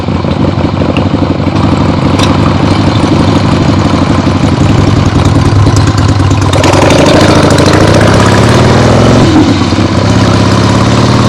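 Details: Freshly rebuilt 1975 Harley-Davidson XLH Ironhead Sportster V-twin on short road test around the block; loose lopey open-pipe beat revving up and settling back, no knocks; a few carb farts probably adjusted out once warm; normal running.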